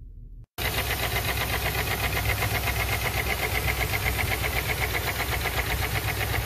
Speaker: customer states engine has a very loud knocking sound let's have a